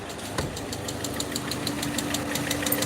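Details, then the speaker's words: Peugeot 307 2.0i at idle after vacuum leak fix: light, fairly even ticking about three per second over steady idle; owner says something is wrong inside the head, plans to remove cylinder head. "is wrong inside the head um what's up so from here I can actually hear it clearly now so um can hear how loud it is"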